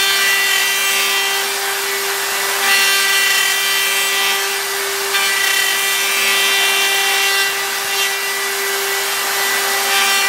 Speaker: And that end mill is really, I don't know, it's sticking pretty far out. You can hear the chatter.